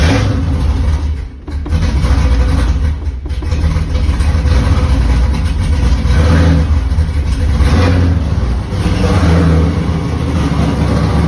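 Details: Built Trans Am after fixing a no-start caused by an exposed red wire: catches and settles into a steady low rumble, then climbs and falls cleanly with each rev. Runs smooth and healthy.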